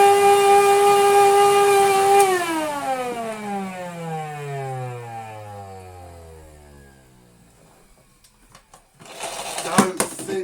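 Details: Miele scrap-lot vacuum motor, 1600 W, owner suspects it is burnt out: steady high whine for about two seconds, then smooth wind-down as the motor coasts; abnormal motor noise, cause unknown.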